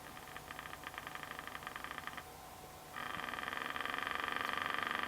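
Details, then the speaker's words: 1964 GE P807J transistor radio with a reed-type speaker on a bench supply at 3 V, drawing 10–30 mA: a steady putt-putt of about four pulses a second on a buzzy tone. This is motorboating; a capacitor is suspected, or possibly a broken trace. "we're getting motorboating we're at three volts removing 10 milliamps 20 milliamps 30 milliamps turning the tuning condenser here okay definitely getting some motorboating means it's like a capacitor"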